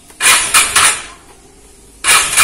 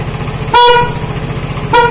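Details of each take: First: Vespa Matic automatic scooter that suddenly stalled after sitting unused about a month: three start attempts give sharp, fast clattering pulses then silence, never turning over or firing; starter fails to crank, owner suspects a weak battery from disuse. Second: Vespa Matic scooter after no-start repair, engine running with 14.6 V charging: two short, clean toots with a steady, strong, unwavering tone; horn working normally.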